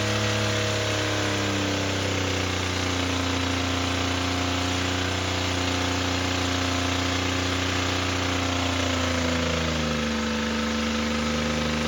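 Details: Toyota pickup engine, damaged by water ingestion, run at full throttle until destroyed, lasting under two minutes: heavy rapid hammering of about four knocks a second, with the pitch sagging near the end as the rods fail.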